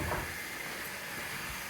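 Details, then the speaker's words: Toilet in a retail location, heard during an electrical failure; continuous soft water hiss with no pauses or change in level, as if the tank never stops filling; the toilet keeps running, cause unknown. "That's ridiculous. The toilet's running too. What is going on here?"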